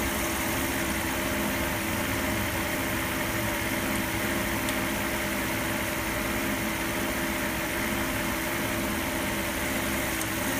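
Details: Mercedes SL600 at idle; hissy, uneven hum with no clean even beat: rough idle.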